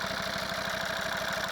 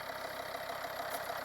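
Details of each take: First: Volvo V50 D5 diesel with 142,000 miles, warm idle after a test drive following EGR valve and pipework cleaning: a rhythmic chuffing "tugboat" thump with light ticking over the clatter. Owner says the lifters are rattly and need doing eventually. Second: Volvo V50 D5 diesel, 142,000 miles, cold idle just after EGR valve and pipework soot cleaning; steady even idle with no knock or misfire, slight hissing suspected from a tensioner or pulley; usually gets noisier after a short drive; normal cold idle.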